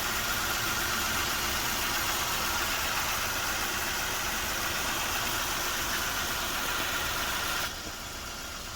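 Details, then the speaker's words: First-generation Nissan Almera 1.2 three-cylinder after spark plug and injector work: smooth even idle with steady beat, no stumbling or misfire; normal idle after repair. "จะไปดูอาการเครื่องกันหน่อยเมื่อเครื่องเดินนิ่มเลยครับ"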